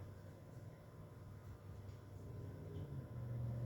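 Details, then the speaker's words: 48-inch Tatung ceiling fan on low speed with its light on (75 W bug light); motor resembles an Encon Princess but thicker. It runs fine: not silent, a quiet, steady low hum that rises slightly toward the end. Normal running. "it's not incredibly silent has a bit of a hum to"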